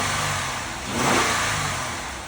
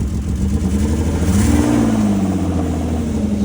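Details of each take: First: Auction vehicle started with a jump pack, running quietly; single clean rev blip rising and settling smoothly back to a quiet idle, no knocks or rattles; healthy engine revving. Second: Vehicle started with a jump: the engine revs and settles with a rough, blatting low exhaust note. An exhaust leak or something underneath is suspected, unconfirmed.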